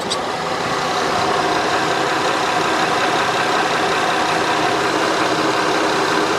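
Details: 2008 Honda Odyssey after fixing a power steering hiss blamed on a busted pump: even, quiet idle with a smooth steady hum and no hiss or whine from the steering pump; healthy, hiss gone when turning the wheel.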